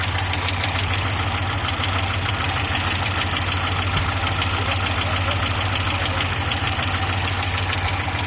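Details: Audi 80 B3 at idle: rapid, fairly even knocking about three per second over a rough idle; engine knock, source not pinned down.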